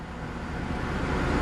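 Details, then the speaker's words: Salvage Mercedes C63 AMG V8 (bought as flood-damaged) at idle after a new battery fixed an overcharging problem (owner suspects the voltage regulator was overcompensating for a faulty battery); quiet, smooth, even low hum with no ticks or misses, normal idle. "However, a new battery has so far solved the problem and it is running really, really nicely. Like, the engine is super quiet now."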